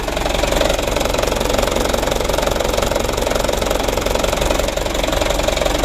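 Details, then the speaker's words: Second-hand Mitsubishi Canter diesel truck idling: harsh, rattly clatter about three beats a second, fairly rough, heard from the left side; mechanic suspects timing gear first, then injection pump camshaft bearing, unconfirmed. "sama-sama kita coba dan kita dengar suara mesinnya itu lumayan kasar sumber suaranya itu dari sebelah kiri ya Menurut saya dari gigi timernya itu yang pertama yang kedua bearing dari noken as bospomnya"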